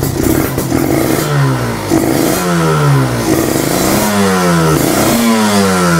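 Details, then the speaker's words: Kawasaki Ninja two-stroke started after two months unused, Nibi Racing carburetor: repeated throttle blips, pitch climbing and dropping about every second, crisp and clean; revved to keep the spark plug from getting wet. "Kalau Ninja gue berani untuk ngeblayer-blayer limit karena suaranya nggak begitu berisik. Kenapa harus di-blayer? Ya supaya di bagian apa namanya, businya itu nggak basah"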